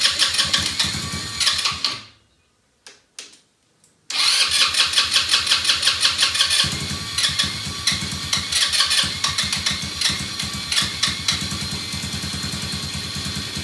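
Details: Elstar 150cc single-gear 2WD quad bike, long stored, spark confirmed and a little fuel dropped into the cylinder: the starter whirs, the engine stumbles, catches, then runs on an uneven, lumpy beat that steadies slightly. Rough running; owner suspects it is low on fuel.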